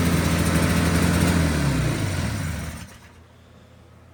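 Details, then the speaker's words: 1983 John Deere Liquifire snowmobile two-stroke on 40:1 premix plus oil injection, run without its airbox: revs up then sags and fades instead of pulling clean; power-jet carburetors bogging from missing airbox. "You can hear it's really dogging. It's cuz I'm running it without the airbox. These power jacket carburetors really rely on that airbox."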